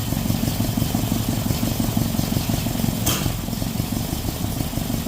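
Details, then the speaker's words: Datsun on distributor after two coil-on-plug coils died. Uneven, lumpy rough idle with one sharp pop back through the intake manifold about three seconds in. Owner suspects timing is off; swapping wires or injectors in software changed nothing. "but you see that pop out of that intake manifold man I don't know oh why see that a so that tells me that it's it's off time"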